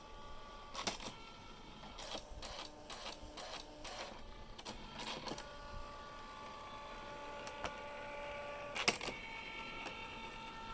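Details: Brand-new, essentially unused Canon Typestar 3 portable electric typewriter on batteries, self-test code T: quick bursts of print-head clatter, then carriage whirs and short motor tones. The self-test prints normally and evenly.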